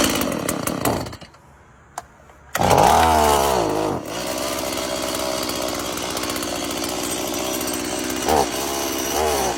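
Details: STIHL MS170 chainsaw after carburetor cleaning and reassembly, previously dying in hot weather: cuts out, restarts with wavering roar, then sags and bogs on throttle; bent spring-loaded carburetor needle-valve lever, fixed by levelling it.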